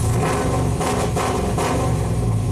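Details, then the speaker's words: 2000 GMC Sierra 5.3 V8, tuned with cam and exhaust, warmed with throttle after sitting weeks: rough uneven revs with stumbles, sometimes won't rev up; crank sensor performance code P0336, not circuit code P0335, despite new OEM sensor. "sometimes it revs up sometimes it doesn't [Music] there it is last test failed so it's not a circuit code it's not a p0335 it's a p0336"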